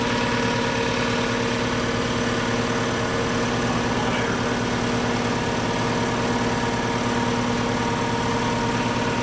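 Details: 60-gallon Black Diamond compressor with hammering factory pump replaced by Harbor Freight pump, 30-weight oil added: even rapid pumping thump about four beats a second under steady hum, no knocks or squeals, building pressure, quieter than old pump.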